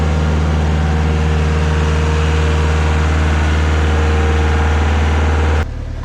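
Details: Stump grinder with freshly rebuilt engine (new rings, cleaned piston), first job on a willow stump: steady low drone with an even beat at idle, no knocking or rattles, then cuts off; ran great, oil on heat shield later burnt off; normal idle.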